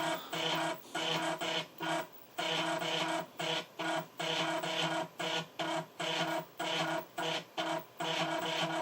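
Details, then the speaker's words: Amiga 1200 floppy drive trying to load Project X: chatters and grinds in short stuttering bursts; owner suspects CPU caches may need disabling, cause unclear. "I'm not sure whether the 1200 actually plays Project X actually this might be one of those ones where CPU caches have to be disabled or what have you because this doesn't sound good to me"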